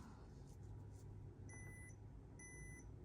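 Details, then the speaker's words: 4GB iPod Nano 4th generation (rare, select-market model) powered up after unboxing: two clean high-pitched beeps about a second apart over faint room hum, repeating; screen lit after hard reset but it keeps beeping and never turns on, cause unknown. "Oh, it beeped. I don't know what that means. You hear that? I've never heard an iPod Nano make a beeping noise like that."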